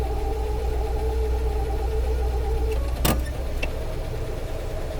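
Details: 1956 Cadillac Sedan DeVille driven over 100 miles, on a cool day: a steady mid-pitched whine over idle in gear, quieter than before, that fades after a clunk into park; automatic transmission whine.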